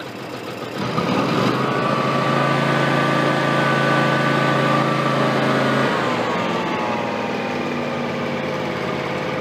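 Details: John Deere X300 rider with Kawasaki FH series engine, 17 hours, after cleaning a stuck fuel shut-off solenoid (was no-start/runs-and-dies): catches and holds a smooth, even idle, pitch drops cleanly as throttle eases back; runs steady and healthy.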